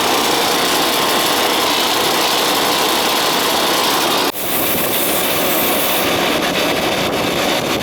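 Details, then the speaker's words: Old Ruud AC outdoor unit restarted after coil cleaning; loud, rough, hissing roar with no clean hum underneath; compressor sounds worn, may need a new unit. "hear it because it's compressor is not sounding all that good so you might need a new unit"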